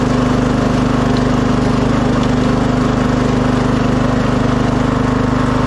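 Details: 2006 Craftsman LT3000 lawn tractor after fitting a new idler and charged battery: steady, even engine drone with a smooth fast pulse, no rattle or vibration; new idler cured the wild vibrations, early noise blamed on the cold hydro transmission warming up. Normal running.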